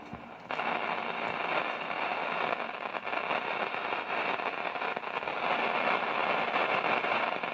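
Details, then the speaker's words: 1946 Zenith 8H034 AM/FM radio under repair, powered on: loud irregular crackling and popping bursts like thunder over a hiss; noisy audio output, cause unknown. "Oh sounds like a thunderstorm"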